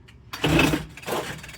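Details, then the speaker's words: Homelite UT08572 Blower II two-stroke leaf blower, pull-started. Short sputtering bursts, then it dies without idling; suspected fuel or carburetor fault, possibly the idle mixture screw. "Um, uh, this leans towards carb slash, what do you call it? The fuel's not right, which would be a shame cuz I thought I was going to have some fun."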